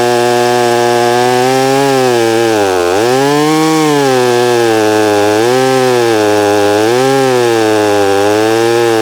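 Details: Holztfforma G660 chainsaw milling, with earlier top-end power loss: strong steady howl dipping under load and recovering cleanly between cuts; runs normally, though the low-speed screw still needs adjusting.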